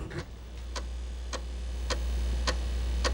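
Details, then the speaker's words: Apple II+ 5.25-inch floppy drive (slot 6, drive 1) formatting a disk in DOS 3.3 format: crisp chirps about every half second over a low motor hum as the head steps track to track; drive formatting normally. "Oh, it is going to format it. Listen to that thing chirp away."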